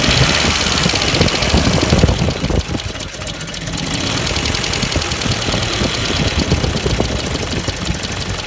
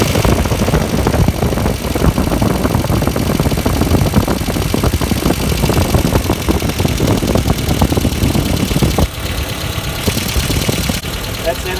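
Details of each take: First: 1994 Ford Econovan after new ignition points and timing set, cracked no. 1 plug lead: raised, slightly uneven idle that won't drop back down; throttle sticking and not returning. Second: 1994 Ford Econovan after a slipped timing belt was fixed, burnt ignition points replaced and timing set: a steady, even idle with a firm low thrum and no misses; the idle is more sensible now, though the #1 plug lead is cracked.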